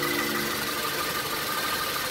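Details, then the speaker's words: Range Rover Evoque after crankshaft pulley replacement and timing set, bolt torqued to 150 ft-lb: steady even idle with light high-pressure fuel pump tick, no knocks or misses; normal. "Now the engine is running. This sound is normal."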